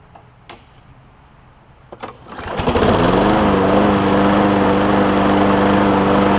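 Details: John Deere JA60 push mower with a replacement gas tank, new fuel line and a slow primer bulb: it is pulled over and catches, then buzzes fast with a wobbling pitch at more throttle. Lean surge; debris is suspected in a carb jet.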